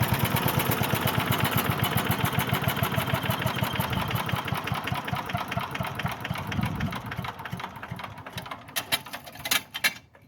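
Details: Briggs and Stratton single-cylinder mower engine after fuel diaphragm repair fixed a no-run: fast, even putter that holds speed, then winds down and stops; runs cleanly.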